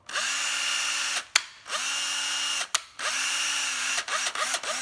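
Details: Hitachi 9.6V cordless drill running on a 12V battery: short bursts of clean, even motor whine spinning up to a steady pitch, no grinding or rattle; runs very smoothly, healthy.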